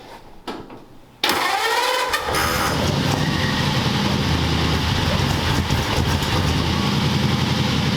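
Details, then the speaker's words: Car freshly fitted with Smitty mufflers, started up: short quiet spell, catches at once and settles into an even, mellow idle with no knocks or misfires; they think the carburetor needs some help. "Nice and mellow. I think that carburetor needs some help. Yeah, it's like nice mellow."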